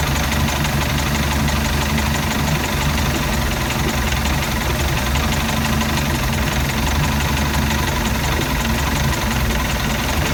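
Loud, heavy low idle that never quite settles into an even beat, a lumpy rough idle of undetermined cause.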